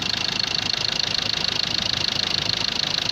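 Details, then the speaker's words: Ford Ranger 2.2 TDCI diesel idling after engine and gearbox rebuild, before road test; even clatter about 200 beats a minute, steady with no misses or roughness, no shaking; normal healthy idle. "ይኸው ምንም ነገር አይንቀጠቀጥም። ተመልከቱት። ድምፁ ራሱ በጣም ያምራል።"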